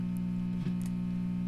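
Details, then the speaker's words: 1966 Fender Deluxe Reverb amp with an intermittent hum: a loud steady low hum with a brief crackle on tapping. A broken solder joint on the bias supply filter capacitor lets DC ripple from the half-wave rectifier (50 VAC tap) through unsmoothed. "This is the bias power supply filter capacitor. The hum that we are hearing is DC ripple produced by this half-wave rectifier circuit without a filter capacitor to smooth it out."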